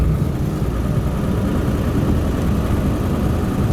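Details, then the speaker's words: 2002 Ford F250 7.3 Powerstroke, 4R100 automatic, 4x4, ~285,000 miles, worn tires: deep rough rotating grinding rumble from the front passenger side while slowing to about 10 mph off the brakes. Owner suspects a wheel bearing; replacing both front bearings seemed to cure it. "you can hear that right there that's a passenger side for sure doing about about 10"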